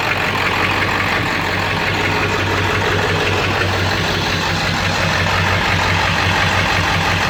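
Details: 7.3 diesel in street mode after high idle: heavy, lumpy, rough idle with dull knocking like a rod knock. Puffing smoke smelling of raw diesel, EGTs good, no power; cause unknown.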